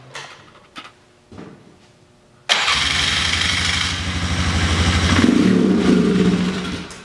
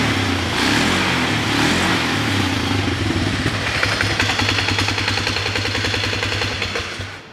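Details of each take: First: Polaris Sportsman 500 with an aftermarket carb, running with the airbox on: the single cylinder catches but runs unevenly and struggles to pick up. Bogs with the airbox on, runs well with it off; air leak at the airbox, owner also suspects the mixture screw. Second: Polaris Sportsman 500 with CV carb that bogged with the stock airbox, now fitted with an early-2000s snorkel airbox: smooth, steady single-cylinder thumping with some clutch clatter from a worn clutch; runs excellent.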